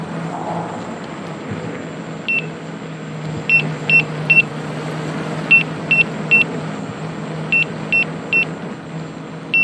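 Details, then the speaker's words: Gotway/Begode EX-N electric unicycle at about 70.5 miles into a full range test, riding 18–19 mph, battery at 79.5 V under load after a rapid drop from 82 V: sharp high beeps in quick threes over riding noise, low-battery warning. "e about 70 and a half miles and i'm getting getting the beeps at about uh you can hear about 18 to 19 miles per hour"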